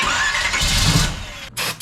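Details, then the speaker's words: Carbureted Camaro engine in a conversion build, with no fuel line fitted yet so it sucks air: short cranking catches into a ragged roar, then sharp backfire pops as it stumbles. Timing was suggested; the cause is fuel starvation. "What the fuck was that? It's just not a happy boy right now. Backfiring?"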